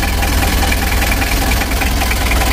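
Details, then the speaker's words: Rebuilt 2000 Mitsubishi L300 diesel with the injection pump, not yet serviced, timing raised one mark; idling with a hard, dry, rattly clatter over a low rumble; diesel knock from over-advanced injection timing. "kalau untuk suaranya di sini seperti kering teman-teman ya terlalu kering e masalanya awalnya topnya ini kemarin saya larikan satu mata teman-teman saya tinggikan ya"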